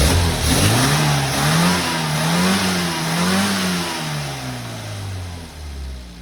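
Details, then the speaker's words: Engine revs crisply and smoothly with no misfire or flat spot after needle leaning at 4,000–5,000 rpm and top-end fuelling were corrected during on-the-road tuning; a nice strong-sounding engine, ready for the owner's road test. "got it's a nice strong sounded engine so we'll send the owner out in it now and see what he thinks"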